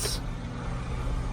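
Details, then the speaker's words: 1983 Renault Trafic campervan engine started after the owner's work on it: a short hiss, then it settles into a steady, even low drone and runs smoothly. "come on you gotta admit i've worked on that and you can see how good a job i've done listen to it yeah you impressed"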